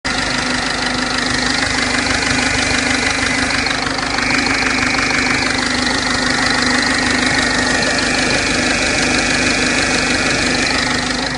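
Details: 2006 1.4 TDCi diesel at idle: steady bright ticking about three times a second over a low hum; source unidentified.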